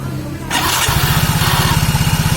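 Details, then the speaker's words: Soul GT scooter after repair, roller holder and front CVT reinstalled, repeat start: brief starter whir, engine catches into steady even idle thump without slipping; cause was an old compressed starter clutch spring not returning, rollers fine. "Mantap teman-teman, nggak usah beli pelor. Soalnya pelornya nggak aus, cuma pernya yang nggak mau balik."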